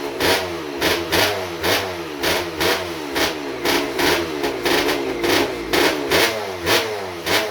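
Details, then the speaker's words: Rebuilt 1996 KX250 two-stroke with ported TM Racing 250 cylinder, rotary disc intake, Maico 490 rod and Tecate balance shaft, run without exhaust pipe: loud, crisp blips about twice a second, rising and falling cleanly; revs freely and sounds healthy. "sounds good though I'm impressed I'm really impressed"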